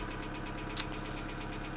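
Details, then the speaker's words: 2008 Kia Sedona 2.9 CRDi diesel (J3), P0016 crank/cam correlation code returns: sharp, regular knock about seven per second at idle, even with small revs; jumped or faulty timing chain suspected, not confirmed. "so i think you're looking at a jump chime and chain or the timing chain needs investigated"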